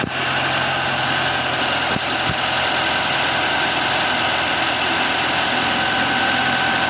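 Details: 2023 Audi Q5 2.0 TFSI (DPU) at 15,000 km, after replacing a failed PCV valve and correcting camshaft cover bolt torque: steady, even, smooth idle with some hiss, no hunting or misses, engine now leak-free.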